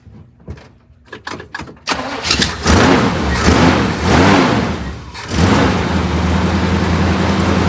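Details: El Camino V8 started after fluids were topped off, before a 3-hour drive; a few clicks, short crank, fires, blips up and drops into a steady, even, deep V8 idle; normal start and idle.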